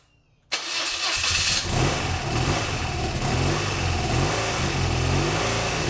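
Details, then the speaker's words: BMW R100GS Paris Dakar boxer twin, first start after engine reassembly: catches and settles into an uneven, lumpy idle with irregular pulses. Oil is leaking onto the exhaust, and the rough running's cause is unconfirmed. "i do still have quite a bit of work to do obviously the bike doesn't run great but it does run"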